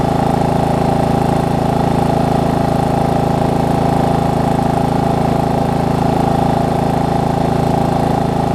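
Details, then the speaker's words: Murray riding mower idling, being left running about ten minutes to burn off residue after cleanup: even, steady single-cylinder putter around three firing pulses a second, no misses or knocks; running real good. "just gonna let it run for maybe a good ten minutes walk cleaned up I think stuff to burn off"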